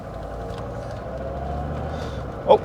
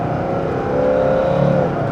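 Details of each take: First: Mercedes-Benz S123 300TD turbodiesel automatic, vacuum modulator newly reconnected: diesel pulling gently at low revs, then abrupt thump as it upshifts early and hard, like dumping the clutch; harsh early upshift it didn't do before. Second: Mercedes-Benz S123 300TD turbodiesel automatic, oil warmed, hard 0–80 acceleration after vacuum repair: engine pulls with rising whir, third-to-fourth shift slightly late, then the note drops cleanly in a nice upshift; normal automatic upshift.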